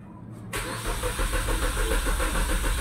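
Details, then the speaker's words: Suzuki Swift unused for four years: starter cranks with a steady chug, about three and a half turns per second, but never fires; crank no-start from faulty ECM and immobilizer. "Okay so dito narinig na natin na puro redondo lang yung ating makina"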